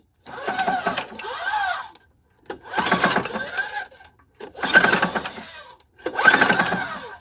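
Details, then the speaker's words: Snowblower engine with sludgy, contaminated oil, hand pulled over slowly: a short dull clunk each turn and weak compression; cause unknown, teardown possibly needed. "I don't know if you can hear that, but it's making a little bit of a clunk."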